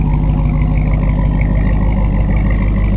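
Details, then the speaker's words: Dodge RAM 1500 regular cab with swapped-in Hellcat 6.2L supercharged V8 (replacing 5.7 Hemi), after the swap: deep, steady rumble with even firing beat, no ticks, knocks or exhaust puffs; running clean and healthy. "this thing sounds so good you guys"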